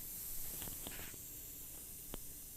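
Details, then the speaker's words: 2015 Tesla Model S P85D rear tire, 265/35/R21, aired to about 50 psi, microphone held next to a broken metal shard stuck in the tire: faint steady high hiss as air escapes all around the shard; tire punctured through and ruined, replacement needed. "hear the air leaking out of that they were originally thinking that maybe it just it had punctured at a point and it would be a small puncture but area escapes from all around that piece of metal so the whole thing is punctured through"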